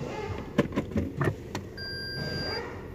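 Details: 2014 Toyota Vios/Yaris driven over speed bumps: a quick cluster of dull thuds from the front wheel area, then quiet rolling. A front suspension clunk, cause not yet found; the shock absorbers are not leaking.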